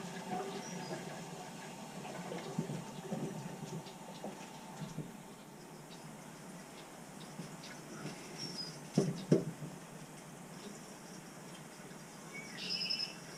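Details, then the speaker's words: Weil-McLain boiler on a no-heat call, no circulation: irregular gurgling and pattering of water and air rushing through the pipes as trapped air is purged from the hydronic heating loop. "so I want to definitely say this things get purged whatsoever I hear a lot of air"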